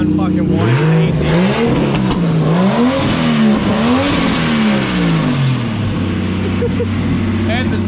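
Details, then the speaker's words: Nissan Cefiro RB25DET turbo straight-six after the wire was twisted back together, now running strong, smooth and even on all six with a few blips, no misfire stumble. "so there is this thing all running nice and mint"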